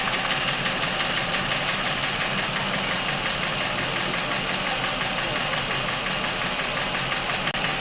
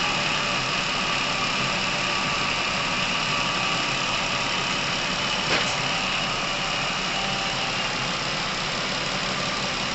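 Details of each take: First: Chevrolet Epica past 200,000 km with sudden noisy top-end operation; a steady idle with a fast, fairly even light ticking from the top end, about three per second, ahead of an engine flush: hydraulic lifter tapping. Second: Chevrolet Epica, over 200,000 km, warm, after adding Dimexide flush to the oil: steady even quiet idle with no distinct knock; engine running quieter as oil circulation restored.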